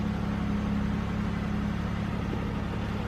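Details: GM car that had P0300 random misfire, idling after the fuel pressure regulator was replaced, the oil changed and codes cleared, coolant at 88. Even, settled low hum with a steady beat and no stumbles.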